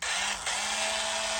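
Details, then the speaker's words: 30+ year old Makita 4.8 V cordless drill with brand-new replacement batteries: spins up to a steady, even high buzzing whine like a toy, easing briefly with the trigger; healthy. "It does sound like a toy. It sounds like that Tamiya drill, doesn't it?"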